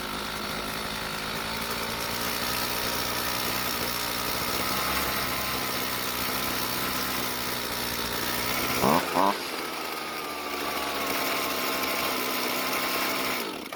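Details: Red-housed string trimmer with a former poor idle and hard hot starting, after a slight carburetor fuel adjustment: steady two-stroke idle with sharp throttle blips returning cleanly to even idle; running properly.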